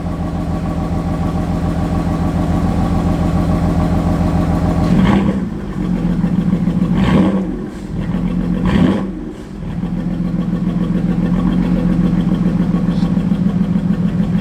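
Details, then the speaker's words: Car on a cold start with no engine light on: a lumpy, uneven idle pulsing about three times a second, with a few throttle blips. Rough idle, cause unknown. "Guys, you hear that idle? No bueno. Sounds bad."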